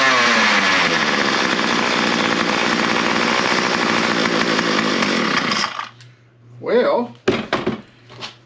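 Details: Small two-stroke trimmer started on half choke as fuel came through: a crisp, steady high buzz holds an even pitch for about five seconds before shutdown. It needed no repair and runs fine.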